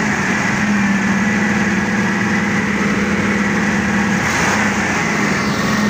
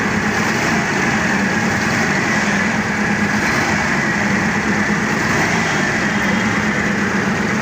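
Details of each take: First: Forklift engine after replacing all four spark plugs to cure a misfire: smooth, steady idle with an even hum, no stumbles or skipped beats, running cleanly. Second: The forklift was misfiring, so I replaced all four plugs.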